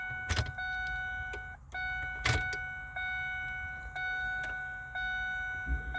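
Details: Truck "Blue" after fuel filter change, fuel pump relay reinstalled and battery reconnected: short one-second fuel pump hum bursts separated by key clicks, primed three times; normal priming.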